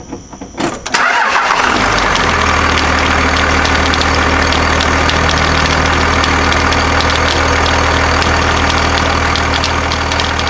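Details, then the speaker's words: Second-gen Cummins diesel after a new belt replaced one that shredded: it cranks and idles with a rapid irregular slapping as the belt flops on the pulley. The owner suspects higher ridges on the AC compressor pulley delete bracket. "all right so after starting the truck it was uh noticeable in sound that i could hear it actually like flopping around on the pulley"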